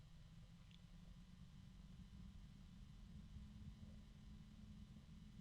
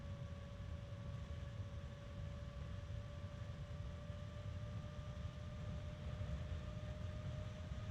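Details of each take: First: Evercool EC7015M12BA slim 70mm 12V 3-pin ball bearing fan at minimum voltage: slow quiet steady hum with faint rough bearing murmur; bearing noise fades as speed rises. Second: Evercool EC7015M12BA slim 70mm 3-pin ball-bearing fan, rebranded StarTech FAN7X15TX3, spinning up to high speed: steady airy rush and clean whine rising in pitch; the bearing noise heard at minimum voltage is masked at speed. Normal.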